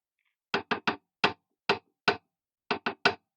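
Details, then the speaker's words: Chinese mini lathe, saddle on the bed with poorly fitting gibs: nine sharp wooden knocks in groups of three as the saddle rocks on a gap under one side; to be measured with feeler gauges and hand-scraped. "it's rocking like naughty holder yeah this is this is not so good"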